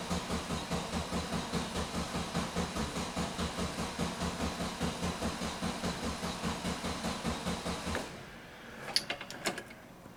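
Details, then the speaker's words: 1971 VW Bus with newly installed 34 ICT/EPC dual carbs and exhaust, fuel still filling the lines; even starter chug for about eight seconds that never catches, then stops; cranking, no start. "Sounds like it might be getting something. Sounds like Sounds like there's squirters."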